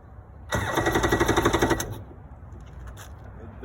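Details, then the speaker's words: 1992 Yamaha WaveRunner two-stroke, not run in years, jump-started from a battery: starter churns about a second without firing; key not good, doesn't pull enough, no start. "it doesn't start for now and the key ain't good it doesn't pull enough"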